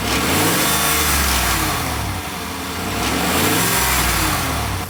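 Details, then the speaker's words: Clunk heard mostly on cold start and light acceleration, recorded from under the vehicle: a V8 revs with a metallic rattle that does not follow engine revs, traced to the exhaust, a loose exhaust clamp. "sounds more like a rattle. It's not consistent with the engine rev."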